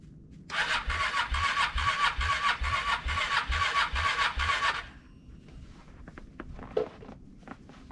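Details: 2023 Honda CRF300L at −30°C cold start, ignition frozen: starter churns steadily about two strokes a second for roughly four seconds, never catches, then silence; cranks but won't start.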